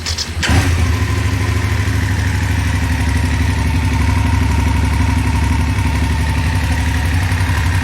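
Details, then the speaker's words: BMW F850GS motorcycle engine with long-standing ticking: starts and settles to steady idle with fast light ticking; mechanic judged by ear it sounds like a cam chain tensioner issue, engine replacement sought under warranty. "the thing sounds like it's got a cam chain tensioner issue is what it sounds like"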